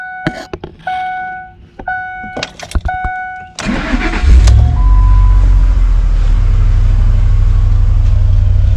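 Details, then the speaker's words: Lincoln Navigator 5.4 4V V8, 85,000 miles, stock exhaust, before the engine is pulled: a few chimes, a quick crank, then a deep, even, steady idle. Normal running engine, sounding good. "what it sounds like sounds pretty good for stock exhaust actually"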